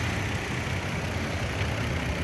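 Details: 1997 Lexus LX450 (FZJ80), 185,000 miles, new accelerator cable and distributor O-ring: smooth, low, even idle drone, no knocks or misses; normal idle.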